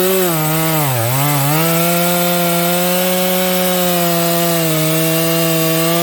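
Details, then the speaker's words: Stock Dolmar 7300 chainsaw making cuts with the high jet opened fully to the limiters; it screams at a high, clean steady pitch, dipping briefly then recovering, with little burble. It sounds a little lean, got quite warm, and the limiters need removing from the carb. "This thing is a little lean there. This saw actually got quite warm in those few cuts, so make sure your saw is 4-stroking."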